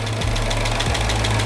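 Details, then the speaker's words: Chrysler 300, freshly rebuilt 5.7 Hemi, first start at idle: a heavy, fast, even lifter tick from lifters not yet filled with oil. It went away after a warm-up drive. "All right. So you heard that pretty bad lifter tick as I was headed out the door."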